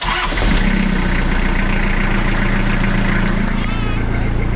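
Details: Toyota Hilux 5L diesel after injector pump timing, which was way out, was reset, run briefly with no radiator or coolant: it cranks briefly, catches and settles into an even, steady clatter with no misses, a normal idle.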